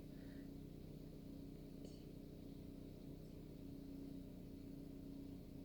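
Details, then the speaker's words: 2019 Nissan Livina warming up from cold, idle still about 1000 rpm (normal about 800) and starting to drop, temperature gauge not yet risen: quiet, even low hum, no knocks or misses; normal cold fast idle. "langsam ya artinya rpm nya masih tinggi masih diangka 1000rpm biasanya Idol untuk RPM atau langsam itu sekitar 800-an ya berarti di bawah seribu ini mulai turun mulai turun rpm nya"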